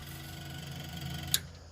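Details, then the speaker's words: Electric fuel pump on 1970s Layton roller compactor with Ford Taunus V4, after suspected bad ground fixed, line disconnected so no pressure; quiet steady whirring buzz, one sharp click, less clacky, fuel now flowing; pump working normally. "of course it doesn't sound as clacky because it doesn't have any fuel pressure behind it cuz it's not hooked up but we got fuel flow"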